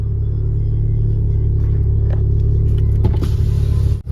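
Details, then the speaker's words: VW Golf GTI cold start: steady, even low drone at a raised idle of about 1050 rpm with no knocks or misses. It earlier idled about 700 rpm and felt lumpy with slow throttle response; an oil pressure warning light is also a concern. "as you can see there it's idling at about 10 50 on cold start"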